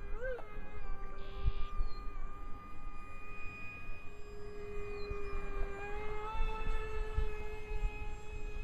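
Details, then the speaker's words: 55mm EDF A-10 RC jet with two fans on a single ESC, 3S 1300mAh 40C LiPo: a steady high fan whine with a slow, wavering warble; owner suspects the single ESC, unconfirmed. "s you can hear it uh kind of makes a warbling noise I'm not sure if that's due to the ESC or what"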